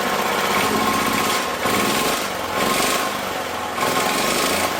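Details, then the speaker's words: Previously seized auction generator, on a real battery: coarse, hammering clatter that surges and sags but never climbs in speed under load. Not revving up; owner suspects the governor setup, and refitting the throttle stop improved it. "Got some kind of issue. It doesn't seem to be revving up like it's supposed to be, probably because of our governor setup or lack of."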